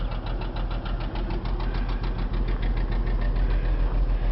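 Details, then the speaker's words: 2006 Chrysler Concorde four-door idling: steady idle carries a regular knock about three and a half per second tracking engine speed; internal engine knock, motor needs rebuilding. "it's nice and clean inside but it has a motor problem the motor has a knock in it"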